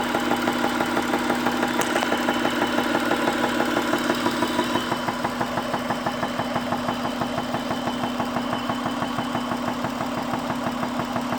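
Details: 2001 Acura engine at idle: steady light tick about three per second over a smooth idle, regular and even; source unclear.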